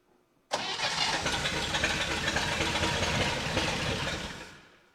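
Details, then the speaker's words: 1960 Chevy Brookwood wagon, sat 20+ years, first start on rebuilt carb and new points, float bowl hand-filled: catches, runs ragged about four seconds, then fades and dies; owner suspects manual choke starving it, fuel pump not delivering fuel. "I bet a lot of it is the choke is manual and I'm just starving it once it starts because I don't have a thing for it for"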